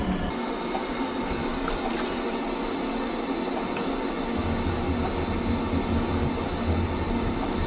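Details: Maytag Bravos washer MVWX655DW1 in diagnostic mode, agitation test (shaking during spin complaint, shocks worn): steady motor hum with low drone shifting partway, no knocking or grinding; normal agitation cycle.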